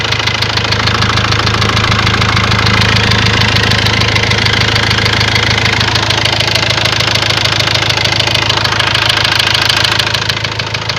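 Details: Ford Transit diesel at idle: sharp, regular knocking about three times a second, unchanged with load. Then a warning light lit, revs stopped rising, and codes showed high-pressure calibration data, cylinder balance and a leaking injector. Cause suspected, not confirmed.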